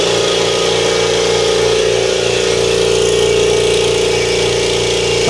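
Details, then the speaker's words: New Kobalt 26-gallon Quiet Tech electric air compressor running on first start: steady, even, smooth mid-pitched hum with no rattles or knocks; much quieter than the old 20-gallon unit, normal running. "Oh yeah, much quieter."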